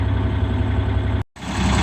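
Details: Terex articulated rock truck, Cummins M11 diesel, after transmission fix, in neutral with brake on: deep, steady even idle rumble apart from a brief dropout; idling smoothly and healthily.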